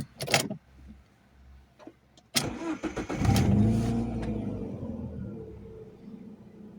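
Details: Alfa Romeo 156 Twin Spark that had idled at 3,000–4,000 rpm, after idle adaptation with a diagnostic machine: a few clunks, then the hot engine catches and settles to a smooth, steady idle; normal idle after repair.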